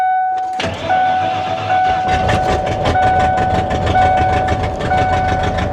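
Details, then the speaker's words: High-mileage truck (256,000 miles) at auction: loud, uneven running with a ragged beat over a rumbly exhaust. It smells of straight exhaust underneath, the catalytic converters are suspected to have been cut off, and the cause of the rough running is unknown. "256,000 miles huh okay all right you know what um that doesn't sound good that doesn't sound good at all"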